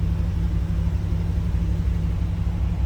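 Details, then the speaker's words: 1975 Pontiac Trans Am with numbers-matching 455 HO V8 and 4-speed manual, just cold-started and on high idle: a deep, steady rumble with even low pulses and no knocks or misses, a healthy cold fast idle. "We're on high idle since that was a cold start."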